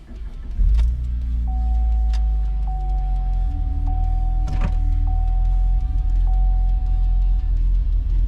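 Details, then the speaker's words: 3.6 Camaro running rough with lack of power and check engine light, earlier injector code suspected on injector 4, ECM fuse repeatedly blowing; engine catches after short crank into lumpy, stumbling idle, wants to die; misfire, cause not confirmed. "Okay, this 3.6 Camaro is not running very good. Here at Misfire, pretty bad. It's definitely lack of power."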